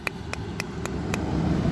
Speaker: it sounds like somebody's a high-pitched click. And that's your CV axle.